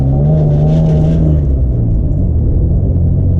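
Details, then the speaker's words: Turbo Probe on its first drive around the block after reassembly: rough, lumpy low rumble with an uneven beat while pulling away, a lot of smoke, seemingly losing cylinders, still idles okay with plenty of oil pressure; misfire. "That doesn't sound good at all. Alright. This is a disaster. Losing cylinders. Still idling okay."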